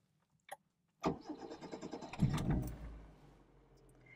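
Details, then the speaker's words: 1980s Proton Saga (Black Knight), starting, heard from inside the cabin: short crank, catches cleanly, settles quickly into a soft, remarkably quiet idle, then a little rev; healthy start. "it's remarkably quiet actually from inside the cabin so give it a little rev so you can hear what i'm talking about"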